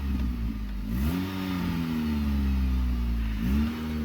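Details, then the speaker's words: Dodge Journey with exhaust noise at start-up and when put in gear; two quick revs with a raspy puffing edge growing with throttle. Something found loose under the exhaust. "Sound like an exhaust noise. Let me see. Yeah, something loose under the exhaust, guys."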